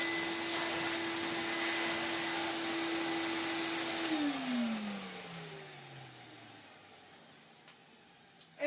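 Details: Commercial Numatic BX190 (BX.BX) vacuum cleaner after refurbishment: a steady, clean high motor whine at constant pitch, then switched off and winding smoothly down. A healthy motor, running normally.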